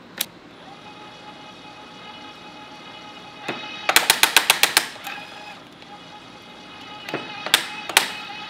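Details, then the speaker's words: Electric tapping arm cutting a 3/8-16 through-thread after its clutch tension was raised two or three notches: about eight sharp clicks as the torque clutch slips slightly under load, then the tap finishes cutting. "so it did clutch out a little bit but it was able to cut and then we can remove it and that's 3 8 through 3 8."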